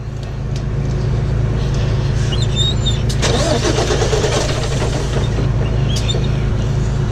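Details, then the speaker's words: International diesel truck broken down, cranked while fuel is hand-pumped and ether is sprayed: starter turns the engine over in a steady rhythm, about three beats a second, but it never fires; cause unconfirmed. "All right, let's see if we can get this thing started now. Normally by now, running it on ether like that, it want more? Try cranking it real quick."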